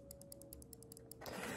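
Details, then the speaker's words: Opened computer mouse with faulty clicking, before repair: sharp light clicks about five a second, some doubled and uneven, then handling rustle; green switches not clicking cleanly, owner suspects the small copper spring inside the switch. "So the issue we're having is with these little green switches."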